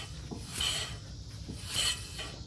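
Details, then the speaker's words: VW Jetta MK6 rear wheel turning, rotors recently replaced, semi-metallic pads: dry hissy rasp surging about once a second, scraping/squeal from brakes; owner suspects improper lubrication, not confirmed. "But I don't know if you could hear this. It's not as loud. I mean, sometimes you'll hear faintly, that's normal, but for my case,"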